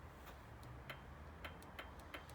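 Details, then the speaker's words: Royal Enfield Classic 500 with ignition on and fuel pump priming: faint, uneven ticking three to four times a second as the starter relay half-works while the meter shows no voltage to the starter; faulty starter relay, bike won't start. "you can hear this you can actually hear the relay half working but"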